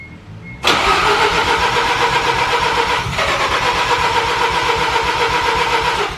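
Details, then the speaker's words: Mazda FD RX-7 rotary after fuel filter change, first start attempt: steady starter cranking for over five seconds, never catching. Flooded engine, cranks but won't start; the top two spark plugs poured fuel, so all plugs were pulled to clear the chambers. "so i took the spark plugs out the top two plugs literally poured fuel out the side so took all the plugs out crank the car over so you can just blow all that fuel out the chambers"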